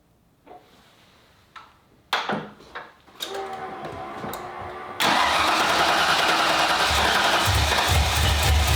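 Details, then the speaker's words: 1995 Ford Mustang GT, 302 V8 with a swapped carburetor, started after the gas tank was reinstalled: a few clunks and a short crank, then loud, ragged, uneven running. The cause is unconfirmed; they suspect the shelf-sitting carb needs a rebuild or its float checked. "I think we need to take this carb apart and rebuild it or at least look look at everything feel like it was sitting on a guy's shelf for a while"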